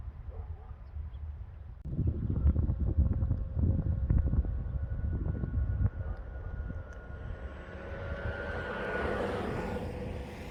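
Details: Ford Mustang Mach-E pedestrian alert sound, starting once shifted from P into D; a steady two-tone hum whose tones change as the car pulls away and gains speed; pedestrian alert sound working normally.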